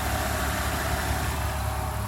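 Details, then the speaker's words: BMW with 159,000 miles, unmoved for 3 or 4 years, after a cold start: steady, even idle with a smooth low rumble and no knocks, ticks or misses; the owner says it sounds good. "All right, the BMW is running. She sounds good."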